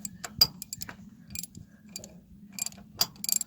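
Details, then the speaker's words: Cat 955L loader, engine off, after brake pedal adjustment: sharp irregular metallic clicks as the pedal is worked, on one side only; the owner suspects a broken brake band, not confirmed. "What is that clicking noise? You hear that? Did the other one click?"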